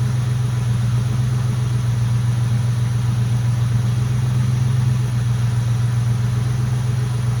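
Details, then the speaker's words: Mustang GT at idle after the power steering air bubble was fixed and the heater core was bypassed: a smooth, even, deep idle; the power steering pump whine is basically gone. Normal idle, no whine. "but I wanted to get that power steering air bubble fixed then the bypass for the heater core looked great no leaking on that either and so now you'll see when I started up the noise is basically gone"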